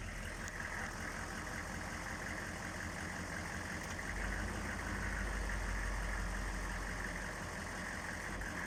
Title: 6.5 turbo diesel rough idle